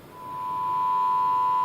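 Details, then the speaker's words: Micromega DUO Pro 2 DAC with background noise at its output, playing a test tone at 48 kHz sample rate: a steady tone with a gritty crackle superimposed, a lower note audible, heavy distortion around 30% on the channel. "obtient une espèce de grésillements superposés aussi là on entend de notes at on bien le un commerce on entend une même plus grave on entend bien quelque chose or bien sûr la distorsion est considérable sur le canal est un élément de 30%"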